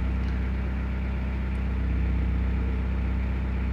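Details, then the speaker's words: Idle in drive on a 2000 Toyota Celica GT 1.8L after fixing a severe misfire (P0302/P0300) caused by a dead coil on cylinder 2 and weak spark on cylinder 3; smooth, even hum, misfire counts for cylinders 2 and 3 now zero. "going to go ahead and put in drive now as you can see we no longer have that severe misfire number two and three show zeros so this is pretty much a fix"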